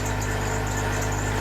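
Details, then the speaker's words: Truck engine's first start after owner's first engine swap, short initial run; smooth, even, quiet idle with a steady low hum, no knocks or ticks; healthy. "got her running yall ain't got to find tools or things but for now I'll take it you running dude you hear that sound let oh wa it's quiet"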